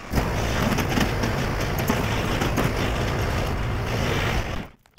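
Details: Husqvarna riding mower running and driving with its drive belt on, while trying to make the belt throw off: loud, even engine drone holding steady, no slipping squeal or flapping, then it shuts off; drive healthy.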